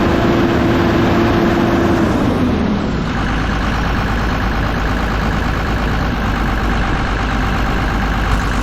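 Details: Kobelco SK250 excavator, believed 2006, diesel; steady even run at raised speed, smooth drone, no knocks or misses, turbo whistle heard in cab, making boost, revs more responsively; normal high-idle run.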